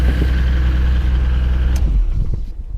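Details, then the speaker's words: 1996 Nissan Skyline R33 GTR Nismo 400R, neglected RB-X GT2 engine, at auction inspection: lumpy uneven low rumble with chuffing tractor-like beat at idle; runs rough, cause not pinned down. "Fire it up because it doesn't sound pretty in the engine either. [Music] whether you can hear that or not. Just um sounds like a massive Ferguson tractor to me."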